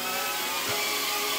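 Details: DJI Pavo Pico Version 2 with the fixed configuration and DJI FPV Remote Controller 2: high, steady buzzing whine holding even without stutter or dropouts as it flies up, down, left and right; motors running cleanly.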